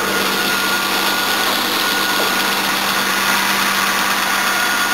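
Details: 1977 Jaguar XJ12 Series II 5.3L EFI V12, after new water pump, radiator and fans, air conditioning on: smooth even idle with a steady fine hum, no knocks, misses or whines; idling healthy.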